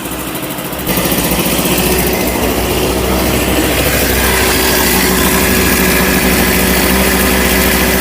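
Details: 1988 Honda Vision Met-in 50cc (SA50) two-stroke scooter, kick-started after a carburetor clean: buzzes fast and steady at idle, well above a normal tickover; idle speed set too high and adjusted down.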